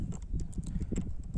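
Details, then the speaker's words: Bajaj Pulsar UG 180 motorcycle that has sat in storage won't start: uneven low clicking as the key is worked, with no cranking; owner suspects a fully discharged battery and is unsure whether it can be recharged. "Ya lleva un tiempito guardada, pero parece que la batería se descargó. Oiga ese ruido por allá. Totalmente descargada."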